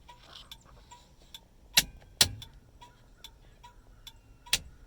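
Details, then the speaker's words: Nissan 720, turn signal flasher on steering column after freeing dirty, sticking hazard switch contacts: crisp evenly spaced ticks about two a second; four-ways off and turn signals working normally. "so you can hear the Flasher is now working so you move this to the forward position which turns off the four ways and now the turn signals work"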